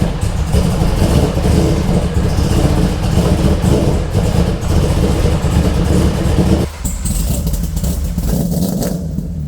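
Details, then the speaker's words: Freshly rebuilt Corvette built motor with custom blower cam, first start after rebuild: fires up and revs with a deep, lumpy, even beat, no knocks or clatter; some smoke, hoped to be burn-off. Normal running. "you don't know how relieved i am then it actually started it sounds good"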